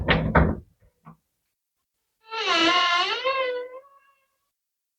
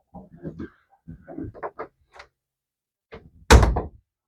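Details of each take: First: How to Fix a Squeaky Door Hinge Second: Door hinge after greasing the hinges: door swings back and forth with soft knocks and rustles, no squeak, ending in a firm thud; squeak eliminated.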